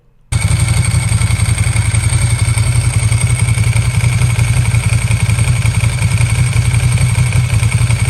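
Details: Vintage Ducati Paso V-twin, found in storage, just repaired and on its first ride: loud, deep, steady throbbing exhaust note with no knocks or rattles. It runs healthy, though soon afterward it smoked heavily.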